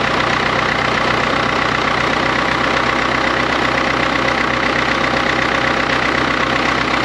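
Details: 1939 Caterpillar D4 crawler with a D4400 diesel, idling after its injectors were serviced and refitted: a loud, even idle under three beats a second with no misses. There is a little pop and one injector has a slight seep still to fix.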